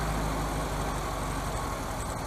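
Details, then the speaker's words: 1971 VW Super Beetle with a 1974 Super Beetle air-cooled flat-four, third carburetor, warm after nearly half an hour of driving; even steady low thrum with no knocks or ticks, idling cleanly; may need a brief adjustment. "Yeah, I'm not hearing no knocking, no nothing. It sounds really, really good. Very, very nice."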